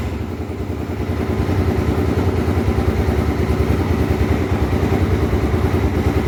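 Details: Honda Twister 250, first start after repair of a top-end noise (cylinder head off, threads cut for two bolts): single cylinder thumps steadily and picks up evenly as revs rise, no tapping from the top end; running normally.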